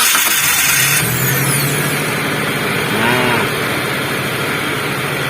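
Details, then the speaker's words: Starter that previously sounded rough after cranking, now serviced with lubrication after its bushing ran dry: smooth, even starter whir for about a second, engine catches and settles to steady idle, no grinding; normal cranking after repair. "lor ya awalnya starter ini bersuara kasar ada suarane itu sela-sela tetapi kali ini sudah bersih sudah tidak ada suaranya kembali atau starter ini sudah kembali normal"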